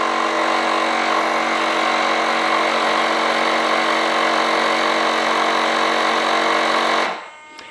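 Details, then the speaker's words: RC jet F100 retractable landing gear pneumatic system during gear check: onboard compressor runs a steady high buzzy whir about seven seconds then cuts off, topping up pressure; air leak suspected in the door cylinders, nose gear cylinder not yet done. "is we do still have an air leak it looks like it's probably in the door cylinders"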